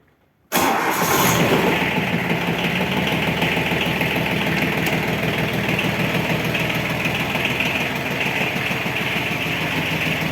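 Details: Yanmar AF15 compact diesel tractor in excellent condition. The engine catches at once and settles into an even, steady diesel idle with no knocks or misses. It sounds healthy.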